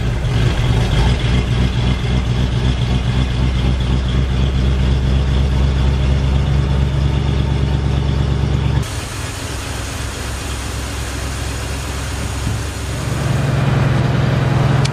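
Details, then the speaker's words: 1947 Ford coupe, first start after fitting a fresh muffler: smooth, even low idle that holds steady with a quiet, soft exhaust note; a fine-running engine. "is one fine running car,"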